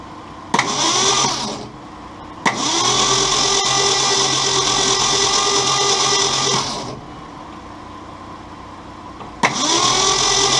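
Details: 1966 Ford Mustang 200 cu in inline six, sluggish but not stuck, 12-volt system, starter possibly weak, spark plugs removed: fast, even starter churn in bursts, about four beats a second, no compression pulses, run about a minute to spread lubricant.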